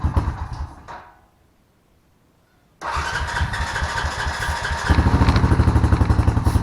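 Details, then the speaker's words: Honda Rancher ATV after sitting with old gas, carburetor cleaned and fresh gas added: engine catches and idles with an uneven lumpy beat, still shutting off occasionally; partly clogged pilot jet causing lean stumbling. "so I got it to run a little bit better but it's it's shutting off every once in a while"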